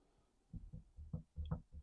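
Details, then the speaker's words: Triumph TR7 V8 propshaft, removed and turned by hand in a vice: dull low clicks about four a second from the universal joint, which has end float; worn joint. "and there's a clicking noise definitely something wrong inside that universal joint"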